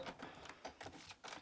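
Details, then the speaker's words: Big Shot hand-cranked die-cut press rolling Easter dies between clear plates, run through more than once: light, uneven clacks and knocks, about six in a second and a half; banging around is normal. "I'm going to roll it more than once just to make sure it gets cut in all the spots. You do hear it banging around. That's pretty normal."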